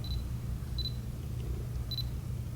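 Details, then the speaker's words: Canon K2 (3000V) 35mm film camera from 2003 with 28-80mm kit lens: four short high focus-confirmation beeps over a low hum; lens focusing is nearly silent, a normal working camera. "you don't hear the lens at all see the flash popped up then I mean it just barely does make any noise"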